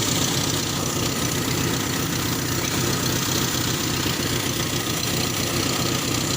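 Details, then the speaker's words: Toyota Kijang after alternator wiring repair, engine running: steady even idle hum, no knocks or surges; charge warning lamp off, charging normal. "jika posisi mesin hidup lampunya mati bertanda pengisian normal"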